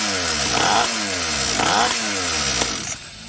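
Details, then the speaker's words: SYX Moto small two-stroke dirt bike that wouldn't start and leaked fuel from the carburetor, started without choke with a little throttle; sharp revving blips, then it sags and dies when the throttle closes. Idle likely set too low. "cuts off right so either we need to turn up the idle it's probably a very possibility when we're done"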